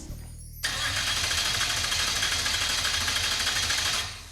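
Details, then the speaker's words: 1970 Dodge Super Bee with a 440 big-block V8, abandoned for years, first start attempt: steady, fast starter churn for about three seconds that never catches; crank no start, no fuel pressure as the fuel pump isn't running. "Does it show fuel pressure? It's telling me we don't have fuel pressure. Well, yeah, the pump's not running."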